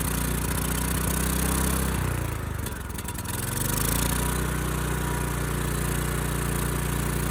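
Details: Ridgid generator's Yamaha MZ360 engine, about 10 years old, idle 4 years, first start on starting fluid after rusted carburetor cleaning. It races at a fast, steady idle with a brief sag midway: the throttle is hanging up. Owner also suspects lean running.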